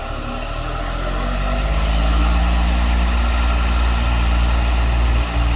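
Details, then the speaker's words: Vintage ILG Jet 24-inch Type Q air circulator fan on its original 6203 bearings, before replacement: motor spins up with a deep hum and dry, gritty, crunchy rumble from worn, dried-out bearings; replaced with new Timken 6203 bearings. "I shut the motor off. They have a nice dry sound to them."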